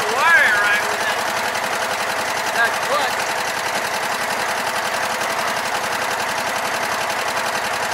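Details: Sears Craftsman mower, Kohler Command engine, after no-spark repair, clutch wire fixed, new fuel and new spark plugs: steady, even beat of roughly 220 a minute, no misses or stumbles; running normally.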